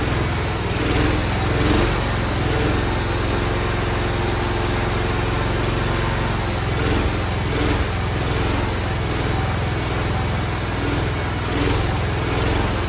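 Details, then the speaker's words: Cub Cadet 1211 single-cylinder engine first start after carburetor swap, starter drive repair, and WD-40/oil down a cylinder once thought seized: fast, even lawn-mower-like buzz with no knocking; it runs but is expected to smoke. "It's gonna be a smoker, but she does run."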